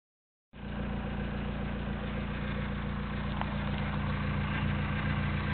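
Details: Nissan SR20DET at idle: a rough, gritty grind over the even engine beat, heard only at idle and traced to the front of the cylinder head where the VTC sprocket sits; worn variable valve timing sprocket suspected.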